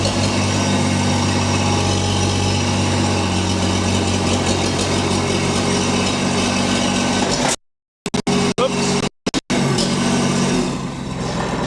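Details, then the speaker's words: STL1000 new from crate, at operating temperature, run since 1500–3150 rpm, downhill and under load: uneven stumbling beat, persistent misfire, rough running; unchanged after a tank of fresh fuel. "Hear the missing and poorly running. There, we can put a load on. Clearly missing."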